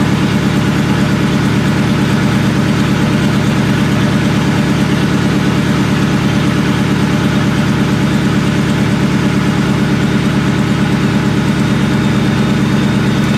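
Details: Supercharged 99-04 New Edge Mustang GT 2V (Vortech V1 Ti-Trim, 2.87 pulley, BBK 78mm throttle), first start after tune at performance shop: loud lumpy idle with uneven, irregularly stumbling low chug; one cylinder misfiring.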